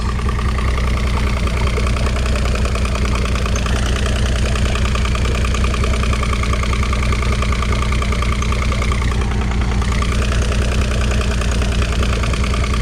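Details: 2006 Evinrude 90 E-TEC outboard after fuel pump work, steady even low idle with no misses, stumbles or surging; running clean with no active faults, engine temperature about right.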